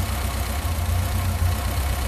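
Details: Ford SOHC 2.0 Pinto in a Sierra-based kit car with twin Weber 40 DCOE 151 carbs being balanced with an airflow meter: low, steady idle shows no rpm drop when cylinder 4 is cut, so it isn't contributing; a blockage is suspected.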